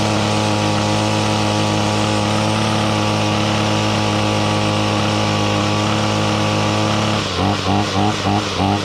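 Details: 2016 Ryobi RY251PH 25cc two-stroke full-crank powerhead with trimmer attachment, cold start on choke: steady, even buzz with no misfire or stumble, note changes briefly near the end; runs healthy.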